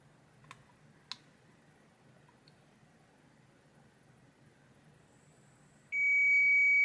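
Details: Hisense AC board with a processor communication error, after the interrupted track was repaired: a couple of faint clicks, then a steady high beep holds, confirming good continuity.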